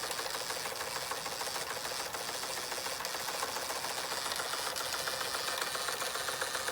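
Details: Fleischmann 135/2 toy steam engine running after repairs, burner sorted and speed steadied with regulating valve: quick even chuffing three to four beats a second over steady hiss, no knocks or misses, likened to a jake brake; normal running.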